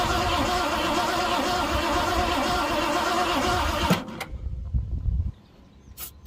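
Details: 1967 Ford Galaxie sitting 35 years, new fuel filter, fuel gravity-fed from bottle into carb bowl: steady starter churn about four seconds with no firing, then stops; cranks but won't start, spark at plugs still to be checked.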